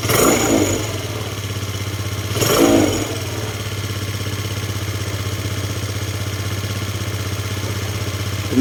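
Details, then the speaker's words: Scooter that earlier stalled as its idle dropped, running about 15 minutes: two throttle blips, then a steady idle that holds without dipping or stalling. "So yun Medyo tumino naman siya h na siya bumababa yung Menor kanina kasi bumababa yung Menor namamatay e"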